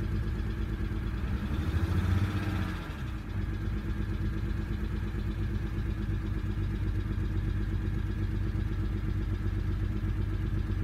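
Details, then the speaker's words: BMW 135i N54 (E82) idling after an engine rebuild with an uneven, loping beat, one cylinder stumbling: misfire on cylinder 6 (P0306) after codes cleared. "so misfire cylinder 6 seems to be a big problem for now"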